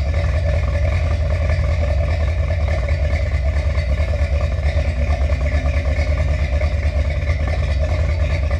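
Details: Finished 1977 Corvette C3 with number-matching steel-crank 4-bolt-main 350 V8 after a two-year restoration: deep, even burble holding steady idle with no knocks, ticks or misses; healthy, smooth-running.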